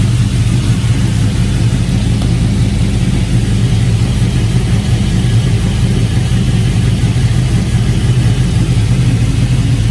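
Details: Porsche Cayenne that had not been started in over a week, running after a jump start; even, steady engine hum with no misses, knocks or stumbles over ten seconds, running smoothly.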